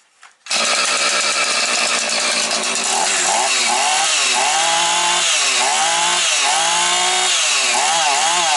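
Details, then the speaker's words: Husqvarna 445 chainsaw: a high, clean two-stroke scream that climbs and drops cleanly with each blip, then holds steady revs. It runs evenly and healthy, though the owner may still check the carburetor. "бачите рівненько все тримає все чітко все гарно так що Супер"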